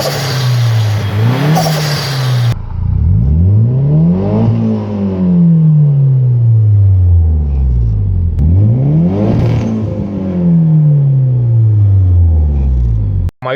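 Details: Nissan 200SX S14 fitted with AliExpress injectors: engine revs cleanly and smoothly to the limiter twice with no stumble; runs well, though the rev needle sticks at 4,500 rpm when the throttle is released.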